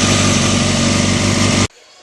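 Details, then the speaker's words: Engine after adjusting the manual cam chain tensioner (backed out, tightened until the chatter stopped, then 1/4 turn more and locked): an even, quiet idle with the earlier cam chain rattle gone; the top end sounds healthy. "you can hear the engine A lot quieter before it had a lot of rattle um right now um it's it's very quiet I don't hear the rattling at"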